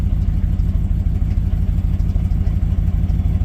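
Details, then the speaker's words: 2007 Dodge Ram 1500 HEMI, check engine light on, before downstream oxygen sensor replacement: uneven, lumpy idle loping about twice a second, stumbling and backfiring; OBD2 scan indicated oxygen sensor problems, cause not confirmed. "it's just running rough engine engine lights on as well you hear it so it's not it's not doing whoa even backfired you heard it"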